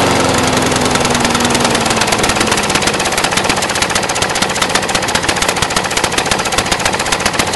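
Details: Brand-new Briggs & Stratton 450 lawn mower, under 2 hours use: fast choppy stumbling idle, belches black smoke, sooty plug, throttle no effect, clears when tipped backwards; running rich, cause unknown.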